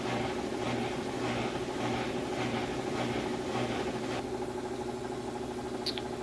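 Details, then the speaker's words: Maytag top-load washer spin cycle with the drain pump on: steady motor hum, pump drone and soft swishes about twice a second as it spins, pauses and repeats about three times before a final fast spin; normal operation. "But it goes through a series of spinning very quickly with the drain on, then it'll actually stop, allow the clothes to sit, any water to come off them that needs to, and it does this about 3 times, and then it just finishes with a very fast spin."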